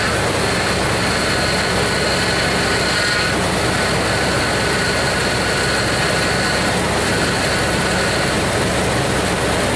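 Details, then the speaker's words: Jeep Grand Cherokee after the cracked, misaligned power steering pump bracket was fixed and the air-filled fluid topped off: steady, even engine hum with no belt squeal or pump whine, cutting off near the end; power steering works lock to lock. "Alright, that sounds good. The belt's not squeaking, the power steering pump's not whining, and I have power steering when I turn the wheels from lock to lock."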